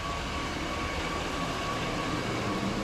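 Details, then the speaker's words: Engine with higher-than-normal idle rpm, after loosening overtight cruise control cable off base idle stop: low, steady 588 rpm idle, IAC desired 55, open loop, fuel trims near zero; normal idle. "okay we're running 588 i acquisition desired position is at 55. we're in open loop so we're going to run it until it goes into closed loop"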